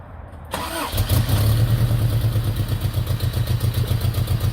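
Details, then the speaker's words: Third-gen Toyota pickup after a new fuel pump, fuel filter, fuel line check and tank cleaning: it catches and settles into a steady idle with an even low pulse and no misses, knocks or ticks. Normal idle. "there you have it running and thanks for tuning in"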